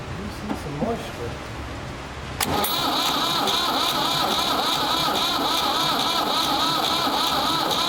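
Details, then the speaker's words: Ford 3600 tractor diesel with rebuilt CAV injection pump: starter cranks steadily after a click but engine never catches, only weak slight firing with little smoke; suspected seized high-pressure section of the pump, later found to be plungers gummed by old diesel. "d of acted like it was trying to fire off very slightly real weak like it never really was puffing a lot of smoke out the stack or anything so i think the pump there must be something in that main pump section that generates the high pressure that's froze up or something"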